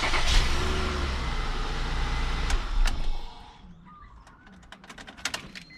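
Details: 2001 Acura MDX after a starter replacement: a quick crank catches cleanly into an even idle, with no grinding or clicking from the starter. A healthy start.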